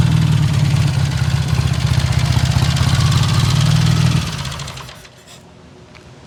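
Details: 1951 BSA A10 Golden Flash 650 twin, revived after 4 years in a museum with a new battery and cleaned carb. Deep, even twin thump with a steady lumpy beat, then shut off and winding down; sounds healthy.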